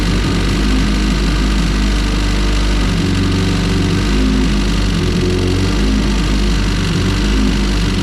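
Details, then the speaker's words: All-motor EF hatch with an LSV engine on E85, after installing spring-type LMAs and adjusting the valves: loud, steady idle with a light rattling tick from the head that persists unchanged. Source still unknown. "Well, that doesn't sound like it changed at all. I don't know, dude. I really don't."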